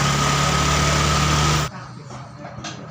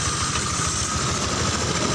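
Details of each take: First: Fuel-injected Honda Vario 125 just rebuilt after arriving dead: idle stays high and steady and the idle adjustment has no effect, TP sensor reading 0.83. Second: Fuel-injected Honda Vario 125 after an engine rebuild with a different-model block and KWN piston: once the throttle cable problem is corrected, the engine settles to a steady, even, smooth low idle with no hunting.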